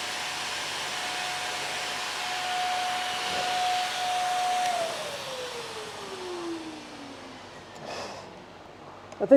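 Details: Vacuum after five cups of baking soda, bin emptied and retested: a thin, steady motor whine, then wind-down at switch-off, with choked airflow. All filters failed after about the third cup and it no longer picks up properly.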